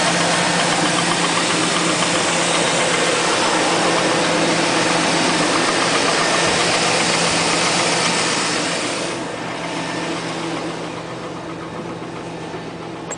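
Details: 2000 Chevrolet Tahoe LS, 131,000 miles, cold first start only: a V8 idle with a fast, fairly even ticking knock at about four a second that eases slightly. Piston slap is suspected, not confirmed.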